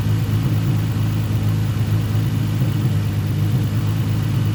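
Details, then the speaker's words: Nissan 350Z after spark plug replacement cured a cylinder 4 misfire (coils swapped and ruled out): deep, even running with no skipped beats, though it still smokes from burning oil. "Ayan, mukhang wala na yung spire. Check natin ngayon yung coat pero mausok pa rin."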